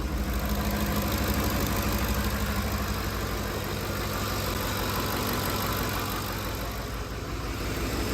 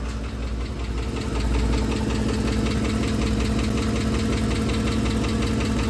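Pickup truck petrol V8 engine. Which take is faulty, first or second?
second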